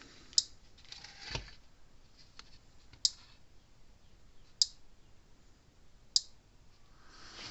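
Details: Gallagher Power Plus S50 solar fence charger on a bench supply: sharp, crisp snaps about every second and a half over quiet; output works but the transformer is arcing internally.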